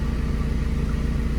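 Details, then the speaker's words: VW Gol G4 with hydraulic power steering, engine idling while the wheel is turned: low, even groan under the engine note that stops and returns, worse when warm and when steering; owner suspects the power steering pump. "Quando o motor aquece, pessoal, esse barulho agrava ainda mais. Dá pra ouvir, ó. Tipo assim, é um barulhinho parecido com isso que eu tô fazendo."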